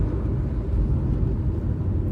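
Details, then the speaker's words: Honda FR-V turbo, after refitting the torn intake hose from air filter to turbo (fault: no pull plus odd noise on throttle), test drive at full throttle: deep, even pull from 2000 rpm, no whistle or hiss, foreign noise gone; acceleration normal. Hose replacement still recommended. "Динамика хорошая. Звук посторонний пропал."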